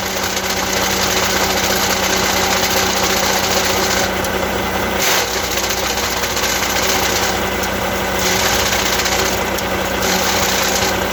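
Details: Truck diesel idling with an Eaton Easy Pedal Advantage clutch: loose uneven rattle throughout with occasional hissy bursts; abnormal clutch noise, source unconfirmed.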